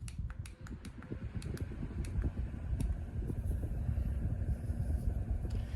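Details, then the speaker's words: Compact remote-controlled oscillating fan with several speeds, switched on by holding the button: a few switch clicks, then a strong, even rush of air with no rattle or wobble; fan running normally on high. "You have to hold it to turn it on. But it's a very powerful fan."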